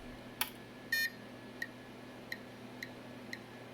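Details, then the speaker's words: Battery-damaged 386 ALR motherboard with Phoenix BIOS, powered through an ATX adapter, gives one short beep then faint ticks about every half second, halting immediately on POST code 201. "sounds like it's working but it's throwing a postcode immediately on 201"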